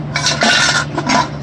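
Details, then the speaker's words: Craftsman DYT 4000 muffler shaken by hand: irregular tinny metallic clinks as the internal pieces normally screwed in have come loose and float inside; muffler also held by only one bolt, to be replaced. "Sorry guys, the little things that are supposed to come up out of here, and they're screwed normally in here, are loose and floating around in there."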